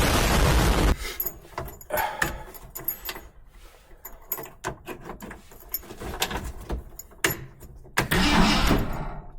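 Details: 1971 Ford F100 big-block V8, wiring possibly reversed, no throttle pedal fitted: starter churns the engine in uneven bursts, about three to four beats a second, never catches; cranks without starting.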